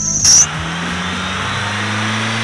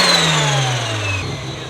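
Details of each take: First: Long-sitting, crusty car, power washed and given fresh fluids and plugs, still running badly. Revs surge up and fall back in uneven swells instead of holding steady; cause not yet found: rough running. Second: Mazda RX-7 FC turbo rotary with new full exhaust, revved out after the cooling fans kicked on. Revs fall off with a turbo whistle sliding down in pitch over a quiet exhaust, only the turbo heard up front: normal rev with turbo whistle.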